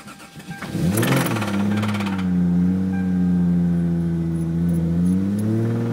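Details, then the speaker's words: Na-T Toyota Supra 2J with its second spun rod bearing from the same builder: it cranks, catches with rapid hard rod knock for about a second, then settles to a smooth-sounding idle. "So you heard that knock at the beginning."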